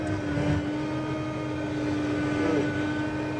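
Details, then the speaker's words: Tractor planting pinto beans in 2023: a steady, fairly low constant-pitch whine over the tractor drone while the fertilizer pump leaks a solid stream of oil. Suspected hydraulic pump whine, cause unconfirmed. "now on to the whining I'm not sure if you can hear that or not but my fertilizer pump is leaking a solid stream of oil so I am trying"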